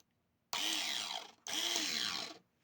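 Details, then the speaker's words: Cheap electric screwdriver/drill after replacing a 3.6V power-bank battery with a new 3.7V 2000mAh drill battery: two short bursts of high buzzing whine with gritty rasp; runs stronger but gears are worn out. "that sounds a lot better I mean not good because it's kind of worn out the gears are worn out but uh yeah much better than the uh 3.6 volt battery"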